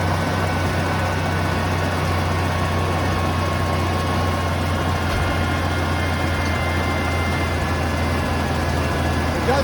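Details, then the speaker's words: 1980 Ford F100 V8 revived after 20 years sitting outside, first start with mystery oil in cylinders burning off; deep, even rumble holding steady with no ticking or misfire, oil pressure seems fine, sounds surprisingly good; normal idle. "it sounds really good i mean i'm shocked how good it sounds absolutely"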